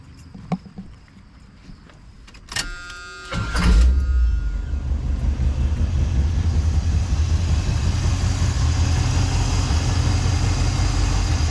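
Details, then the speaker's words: GMC pickup V8 after new distributor fitted and timing retarded to stop spark knock: brief starter whir, then it catches and settles into a steady, even idle; runs better than before. "it runs great actually it runs better than what it used to it was always a good running truck"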